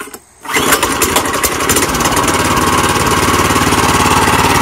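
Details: Choked small single-cylinder gas engine on an electric-to-gas golf cart conversion, about 12.5:1 drive ratio: a short rear rope pull, then it catches and settles into a steady, even putt-putt of about three or four beats a second.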